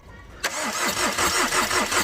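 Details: Tata Vista that overheated after an underside impact knocked off a radiator hose. The starter cranks steadily at about four compressions per second and the engine catches but never runs: cranks but won't start.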